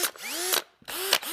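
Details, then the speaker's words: Milwaukee cordless drill, compared with a 20 V DeWalt on 1.5 Ah batteries, clutch tightened to rattle: three quick spin-ups rising in pitch, each ending in a crisp ratcheting burst; precise gear sound, little clunk at the stop, clutch slipping normally. "has a more of a precise sound. The gears sound better. It doesn't have quite such a clunk when it comes to the stop."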